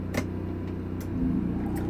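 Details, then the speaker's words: 2017 Winnebago Minnie Winnie RV with the generator running, air conditioning switched to cool and set to 65: steady generator drone, then a low steady hum comes in about one second in as the unit starts cleanly; normal A/C start-up. "Now while we're here and the generator's on, to run the air conditioning, you just turn it over to cool."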